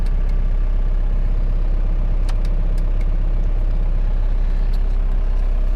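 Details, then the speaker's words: 2002 Ford Expedition with swapped 4BT Cummins diesel, freezing cold day: steady even diesel clatter at raised idle to warm up, no misses or knocks; healthy engine. "gotta set up a little high on the idol right now to warm her up today is freezing cold outside"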